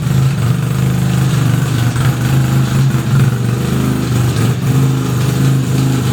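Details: 1975 Suzuki RE5, freshly fully restored: a busy uneven mechanical whirr over a low drone that rises and falls slightly; abnormal transmission noise, cause unknown, engine to be removed to inspect the transmission internals.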